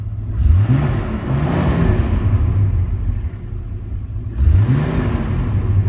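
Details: 1967 AMC Rambler American 199 ci, after replacing a cracked phenolic carburetor spacer that caused a massive vacuum leak: two quick rev-ups from idle, pitch rising smoothly and dropping back without stumble; clean, healthy throttle response.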